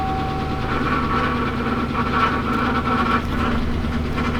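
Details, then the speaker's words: Chevrolet Silverado Z71, started after being towed back, showing 40 PSI oil pressure: engine running with a thin high squeak that comes and goes; owner thinks it might be the transmission, not confirmed. "maybe it wasn't as bad as I thought cuz that's that squeaky noise that I'm hearing right now. If you can hear that, that might be the transmission, actually."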